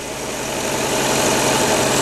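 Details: Ford Mustang V8 at idle after distributor installation, with the timing set to about 6 degrees: a steady, even low rumble with no misfire or stumble, a smooth and settled idle.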